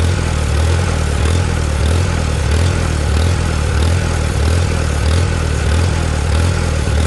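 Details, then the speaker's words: Antique Farmall tractor with new Chinese carburetor: loud fast chugging with a slow surge about every second and a half, won't run below three-quarter throttle, no clog found; owner blames the carburetor. "there ain't nothing in there clogging it off can't get it to run unless it's at least three-quarter throttle"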